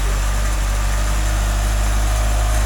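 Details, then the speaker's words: Ford Cortina Mk5 after carb rebuild and cracked manifold welded, fired up in the yard: steady, even low idle rumble with no misses, knocks or hunting; runs quite well, normal idle. "So, it runs. It actually runs quite well."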